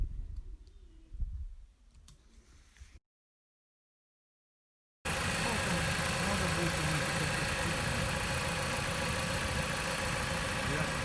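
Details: Jeep Patriot 2.4 after cylinder head rebuild for worn camshaft and scored head, valves adjusted, old chain kept, new cover; after a quiet start it settles into a steady, even idle with no knocking or ticking: normal idle.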